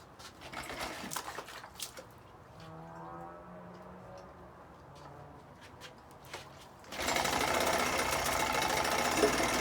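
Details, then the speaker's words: 1980 Chrysler Sea King 15 hp two-cylinder outboard, rope-started, bottom coil replaced, top plug wire off so running on one cylinder: steady, even buzz with no stumbles or misfire. "technically we're only really on one cylinder, but no misfire on that one cylinder."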